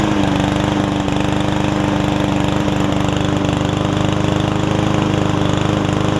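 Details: Yard Man self-propelled push mower with Powermore engine, long-sat, after carb clean and self-propel freed up: steady, even single-cylinder putter at constant speed, no surging or misses; about 90%, old gas likely still washing out, owner may add Seafoam.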